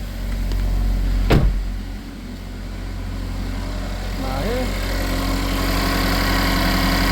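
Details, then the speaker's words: GM 2.4L first start after timing chain and tensioner install, cover and balancer refitted: one sharp click, then smooth, quiet, steady idle with no chain rattle or ticking; normal idle. "Nice and quiet. Love it. Love it. Love it. Love it. Love it."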